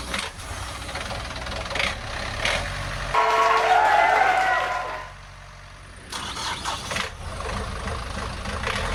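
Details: Boat engine after the back end was repaired following transmission failure: starter cranks briefly, engine catches cleanly and settles into a steady even idle with no knocks or misses; healthy start.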